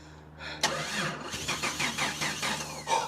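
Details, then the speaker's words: Jeep Cherokee XJ 4.0 after a starter motor fix and ECU ground repair, with relays and fuel pump now audible: the starter cranks evenly for about three seconds, briefly trying to catch, but it won't start. Cause unknown after days of trying. "Oh my god. It tried. It tried. Just please start. No. God, this is so frustrating."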